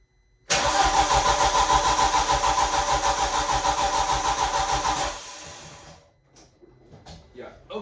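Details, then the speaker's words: 1.8T cranking with coil packs and injectors unplugged to prime oil pressure: even, steady cranking for four seconds with no misses or knocks, sounding normal; it does not fire. "this time I don't have it plugged in yet so it's not going to start but I just want to hear what it sounds like"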